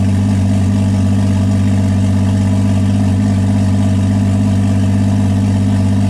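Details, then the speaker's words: BMW E36 with a swapped Toyota 1JZ inline-six, first official start with oil pressure (25 psi while cranking) after earlier starts with none. A steady, even idle with a smooth low rumble and no knocks or ticks; no damage apparent. "well guys it's going to be more excited that the 1j runs and it sounds good it doesn't really sound like i damaged anything but only time will tell"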